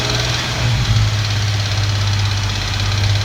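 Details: Infiniti Q50, revving in neutral or driving: a metallic tapping or clanking over the engine note. It rises with rpm rather than road speed, mainly from 1500 to 4500 rpm, and the cause is unknown.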